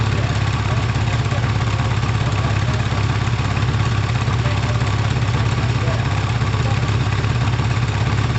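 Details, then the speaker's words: Kawasaki ZL600 start-up: deep, lumpy four-cylinder idle with a loping beat under twice a second, one cylinder sounding weak; carbs not synced or balanced. Smoke present, which the owner attributes to the wrap. "the crabs aren't tuned they're not balanced actually they're not synced so if it sounds like that unsynced what's it gonna sound like synced"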